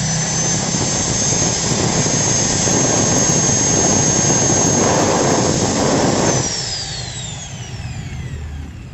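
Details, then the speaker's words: Angle grinder with Modern M-2300B stator and Maktec MT90 parts, new CB-459 brushes, after correcting head rotation to anticlockwise: loud, even high-speed whir with no scraping or sparking, smooth coast-down; normal run. "sekarang kita tes lagi guys Oke Mantap Deni enggak ada gesekan-gesekan mantaplah guys suaranya juga"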